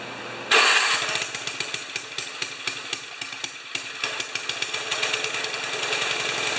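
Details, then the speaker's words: 1973 Tecumseh snow blower engine, first start after carburetor reinstall, fuel valve opened, starter button pressed on choke. Starter whirs briefly, then the engine catches and pops along at about ten beats a second; normal start. "well that's really good successful first run try it again don't need to choke"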